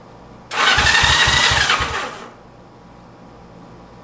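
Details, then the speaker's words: 1965 Honda CB77 Super Hawk 305 twin, in neutral on the lift, cranked on the electric starter for five to ten seconds to circulate oil before any spark test. Strong high whir with even compression pulses, spinning freely. Healthy starter cranking. "so I'm going to turn it over for probably five or ten seconds get some oil circulating around in there nice this bike is gonna come back easy"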